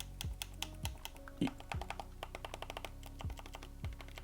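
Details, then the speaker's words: Third-generation 20GB iPod Classic next to a fourth-generation iPod, whose click wheel buttons physically move: crisp, distinct clicks, one firm snap per press at irregular intervals; normal mechanical click wheel button clicks. "you can clearly hear the clicks. These act these buttons actually click in. They move physically."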